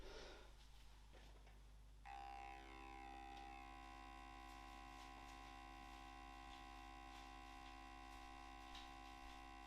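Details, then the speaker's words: 2024 Hornby Black 5 model locomotive with power applied and lights on: a steady motor hum but no movement. The loco is locked up because a connecting rod has detached. "the lights are on you can hear the motor buzzing it's not moving the thing appears to be broken"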